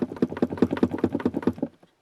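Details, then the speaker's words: Renault Logan, knock from right side of dashboard: quick, even hollow tinny rattle about five per second, then stops; empty washer fluid reservoir drumming against the body despite being bolted; foam-like padding wedged in to press the reservoir. "слышно бачок омывателя если он пустой он бренчит хоть и прикручен видимо снизу расстояния слишком маленькое так кузова и он короче бренчи"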